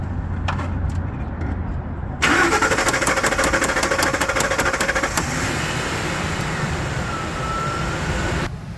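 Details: 2003 Ford F-150 with intermittent crank-no-start, fuel present but no spark; tapping the PCM relay while cranking lets it catch into a rough, settling idle; faulty PCM relay suspected, replaced with new one.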